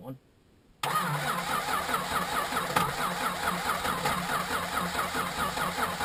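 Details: Chrysler Valiant VJ, sat 25 years, ignition very dodgy, parts from an XD Falcon: engine catches instantly and settles into a slightly lumpy but steady idle, no knocking.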